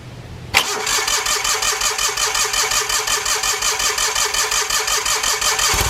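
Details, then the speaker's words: 4WD Gravely tractor sat since April with seized rear transmission, fresh battery fitted; cranks briefly, catches at once and settles into an even, steady beat, no misses or knocks. Normal start and idle. "so I just went up back to fire it up and threw a battery in it and it cranked right over without an issue"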